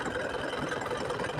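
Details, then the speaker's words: Isuzu Panther 2.5 diesel after AC compressor pulley bearing and centerpiece repair, AC on: slow, uneven idle with rough, pulsing beat and engine shaking; rpm too low because idle-up is misadjusted. "rpm-nya terlalu rendah ini kidle up-nya kurang pas ini ya ini goyang-goyang mesinnya pas Nyalain AC ini"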